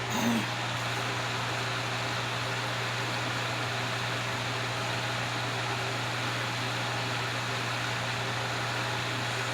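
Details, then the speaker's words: Vintage Wizard hassock fan fitted with a transplanted motor salvaged from a Mainstays box fan (original motor burnt), running on low speed: steady low hum under an even rush of air, no ticks or rubbing; runs smoothly. "Very nice on low."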